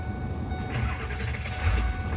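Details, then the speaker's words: 2001 Ford Excursion XLT 7.3L Powerstroke diesel, 296k miles, stock, new injectors, fuel pump and glow plug module; warm start, not cold, after being driven over. Brief crank, catches almost at once into a steady, even diesel rumble; normal warm start. "All right, you guys, it's not a cold start. I repeat, not a cold start. I drove it over here today, but you can see still says wait to start over there."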